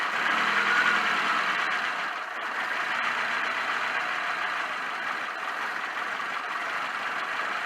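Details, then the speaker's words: Porsche 924 just started after a fuel filter replacement with an alternative part: runs unevenly with a wavering, hunting idle as air is purged from the empty fuel line; no leaks from the new filter. "all right we're getting the uh air out of the fuel system so we can get to running again"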